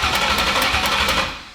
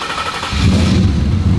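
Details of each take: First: Freshly built Ford Fox-body with Coyote engine swap, first cranking to build oil pressure: sharp even ticks about four per second over the cranking, possibly spark-related, cause not pinned down. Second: Ford Coyote V8 swapped into a Fox-body: fires within a second and settles into a steady, lumpy idle with no knocking or misfire; running properly.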